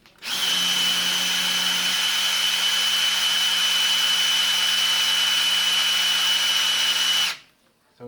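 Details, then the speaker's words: 351 engine in an XC GXL restoration, oil pump primed with a drill: steady high drill whine whose tone sags as the pump picks up oil and builds pressure; priming is working. "that's picked up on there you can hear the tone of the drill change and every now and then we have to give to drill the rest"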